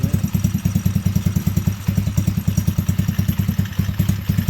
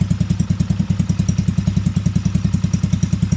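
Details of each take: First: T-Rex go-kart single-cylinder after crash repair, choke partly pushed in: idle thumping at a slow, slightly uneven beat around 200 pulses a minute, otherwise smooth; idle sits a touch too low. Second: T-Rex go-kart small engine after crash repair, choke on, just started: steady, even thumping about three and a half beats per second, no misses or knocks; smooth idle, idle may need raising slightly.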